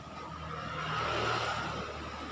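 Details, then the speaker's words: Exhaust fan that would not spin, fixed by replacing a blown thermal fuse; now running, it gives a steady high-pitched whine over the fan's whir. Rust is suspected but unconfirmed, and sewing-machine oil is suggested. Abnormal motor noise. "alhamdulillah Eh ini ada-ada bunyi-bunyi Aneh ke Ini kemungkinan ada karatan baiknya kita kasih oli-oli singer ya"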